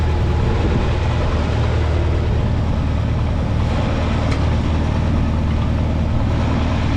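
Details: 1952 Farmall Super C tractor after distributor work (rotor prong bent up; owner unsure if stuck mechanical advance was the cause of the miss): even, low four-cylinder throb at steady speed, no stumbles or popping, healthy.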